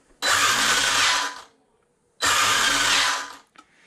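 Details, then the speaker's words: Arrma Limitless RC car after binding and calibration fixes and an AVC malfunction fix, electronics still cold, brake rate about 50: two clean throttle bursts, each a smooth high whir of about a second winding down evenly; motor and brake working normally. "you always want to turn this brake rate down on a speed run so everything's working about the way it should"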